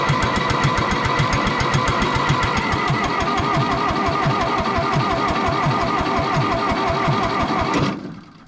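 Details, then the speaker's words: John Deere 1010 track loader diesel, first start try after an injection pump rebuild, glow plugs heated about a minute: even starter chug at three to four turns a second for nearly eight seconds, never catching. The owner suspects low compression, or possibly timing, after it also failed to fire on starting fluid. "now the issue is what I was thinking earlier when it did not fire on the starting fluid is do I have compression and I'm worried I do not"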